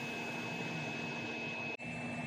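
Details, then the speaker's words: Vacuum unit running after bypassing the float switch that kept shutting it off: steady even roar with a fixed high whistle and low hum, one brief dropout; vacuum motor operating normally, pulsing at about 1 Hz. "It should operate and pulse at a 1 Hz rate."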